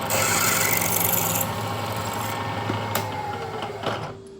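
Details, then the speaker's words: 1940s 14-1/2" South Bend lathe drilling with a slightly smaller drill after a squeal on hard material: steady hum with an even, clean cutting hiss, no squeal, easing off at the end. "And that seemed to go just fine."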